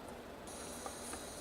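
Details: CNC stepper motor on PlanetCNC MK3/4 control board, enable signal restored: near silence, then a faint high-pitched hiss-whine switches on and holds steady as the energized stepper holds normally.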